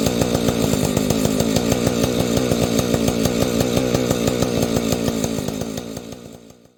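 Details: Vintage Husqvarna 285 chainsaw being rebuilt with replacement cases and cylinder: crisp, rapid two-stroke buzz, even and strong, then it winds down cleanly to a stop. Owner says it stalls after idling, suspects ignition.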